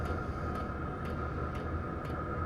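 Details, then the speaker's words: Diesel heater after fitting an aftermarket quiet fuel pump in place of the loud stock one: soft, even ticks about twice a second over a steady fan hum; normal and much quieter. "it's significantly quieter so I took this thing apart I put it in there and I was I was amazed at how much quieter it was"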